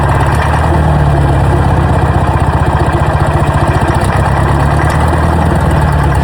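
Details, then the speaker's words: Old Detroit Diesel on a jaw rock crusher plant, first start in 3 to 5 years after the starter was put back together: fired right up and nearly ran away, then held a loud, deep, steady chugging idle of about four beats a second with no misses. "Woo. That was going to run away on me there. Fired right up. I thought it was going to run away for a second."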